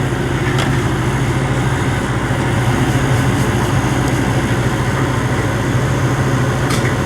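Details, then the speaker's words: Commercial ice machine, possibly Ice-O-Matic (tech unsure), reported as not dropping ice. The compressor has just kicked on; the tech reads 2.5 A, then 7 A on the condenser and 7.5 A on the compressor, judged good. Even, steady low hum, no clatter: normal compressor operation. "Oh compressor just kicked on 2.5 amps so I'm guessing an odor for the compressor kick on my gearbox has to be on"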